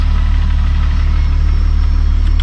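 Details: MK3 VW wagon with a freshly installed turbo VR6, running after an engine swap; steady, smooth low hum at idle with no ticking; quiet and even, though the fuel pump is loud.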